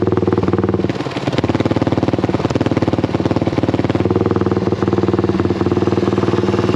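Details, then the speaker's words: Honda XL175 single-cylinder after fitting a new aftermarket muffler: even, steady idle thump with a deeper but still fairly loud exhaust note; runs normally, only slightly quieter than before. "you know like i said i didn't think it was going to be that much quieter it's kind of a different uh deeper sound i wish it was a little bit quieter because i don't know if that's going to really make a difference"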